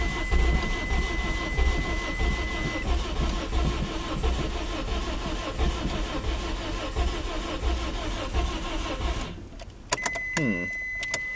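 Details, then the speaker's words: Engine treated with Steel Seal for a blown head gasket, restarted after cooling about 1.5–2 hours with about a gallon of water added; it earlier idled near 900 rpm with a high heat gauge. It cranks with an irregular beat, runs roughly and drops away; seal unconfirmed. "Now I'm gonna see if it'll crank up. So let's see if the steel seal worked."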